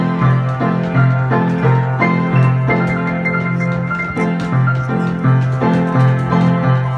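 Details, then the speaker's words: Weber Pianola player piano with Duo-Art system playing a roll normally, with full, strong notes and steady chords, after repair of a vacuum leak caused by the perished leather of the Duo-Art accordion sound box; the pedal action is now stronger and louder. "I'll leave it in rewind listening to so yeah it all seems to work"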